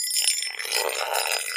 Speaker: now one of the the easiest ways of telling if something is drummy is to rub a metal object over it now you can hear that actually sounds quite Hollow